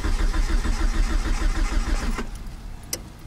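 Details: DSM with stock ECU and AFC, Walbro 255 pump, fuel, spark and timing reportedly good, no boost leaks, cam angle sensor and throttle body parts tested: even starter cranking about three compression beats a second, no firing; crank no start.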